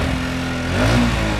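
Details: Honda Wave S110 scooter: engine revs stay high and sag only slowly after the throttle is released, a hanging high idle. The finding is an intake air leak.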